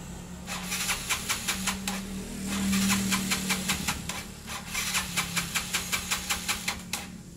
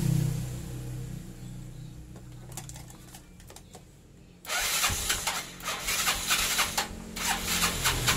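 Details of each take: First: Yamaha Mio Sporty scooter cranking with fast rhythmic pulses, two to three a second, never catching; ignition is fine, and the no-start is caused by tight intake and exhaust valve clearance. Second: Yamaha Mio Sporty scooter that would not start, despite having spark: a few cranking clicks, then it starts and revs cleanly and evenly after adjusting the too-tight intake and exhaust valve clearances.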